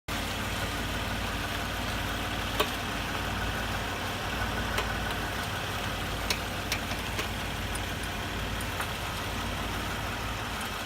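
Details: Toyota Highlander suspension knock: steady low engine hum with sharp, irregular clunks every second or two despite new genuine OEM struts and strut-top bearings; struts reassembled several times, noise remains, cause unknown.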